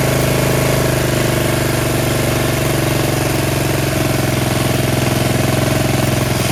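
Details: Yard Machines 13.5 HP Tecumseh 38" riding mower, after fixing slow cranking: steady, even single-cylinder chug at constant speed, no misses or knocks; running normally.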